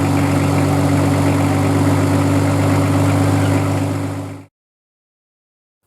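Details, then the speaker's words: Nissan RD28 Patrol diesel with Bosch VE boost-comp pump (11mm plunger): steady even idle, smooth low throb, no clacking knock, then shutdown; running normally. "but once you've timed up everything to hear it should sound pretty good and you should have the setting pretty close to what the factory setting with the dial indicator should be"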